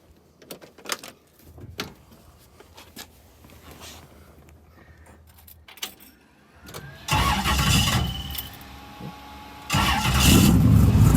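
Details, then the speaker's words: Twin-turbo LS V8 Chevy II Nova, pump gas, about 800–850 hp, stainless headers and exhaust: quiet keys and handling, then the starter catches and the V8 fires cleanly into a firm, steady idle with no misses. "but this is a pump gas motor and this thing still makes like right at 800 on pump gas so it's really really fun to drive but let me get in here and crank it up and let y'all hear it run"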